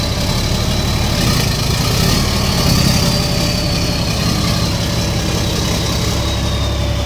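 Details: CAMC CM6D28 430 hp diesel, reportedly damaged by exhaust brake use (valve, piston rods and rocker arms replaced), settles into a steady idle with a low, even rumble and no obvious knocking; sounds like a healthy run.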